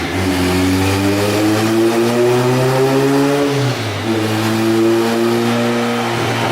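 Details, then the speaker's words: Turbo Civic on dyno after new thermostat and wideband sensor, injectors suspected of upsetting readings: revs climb hard, then stumble and drop near four seconds before pulling again; engine breaking up under load, suspected fuel cut. "I mean it's literally all over the place [ __ ] music saying that sounds like fuel cut to me"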